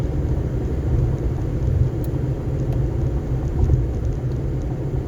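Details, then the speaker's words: 2011 Ford Fiesta manual, shifting into fifth and cruising toward 60: steady, even low road rumble with no knocks or whines; driving really smooth, normal. "Let's see, let me get it shifted into fifth. It's driving really smooth."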